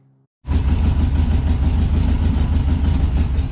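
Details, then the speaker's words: 1963 VW Beetle after new spark plugs, bowl primed to start: low, uneven loping chuff, won't keep running; owner finds the fuel filter builds no fuel pressure, carburetor may need a rebuild; rough running. "hey guys so we got the plugs in started the motor up had to prime the bowl again to get the car to start and then i couldn't keep it running"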